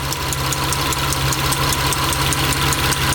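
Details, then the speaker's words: Mitsubishi Eclipse 6G75 engine after reassembly and timing belt work, warming up at idle: sharp even tapping about 2.5 times per second, same as before but louder; source unknown, owner suspects intake and valve covers must come off again. "same thing as before louder [Music] you gotta be kidding me what do you think that is [Music] it's louder than before"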